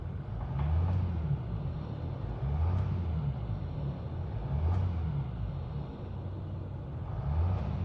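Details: Mercedes S-class W222 OM642 diesel, warmed up: idle hunts, swelling and sagging every two seconds with a knock; third or second injector connector found unclipped, dropping a cylinder.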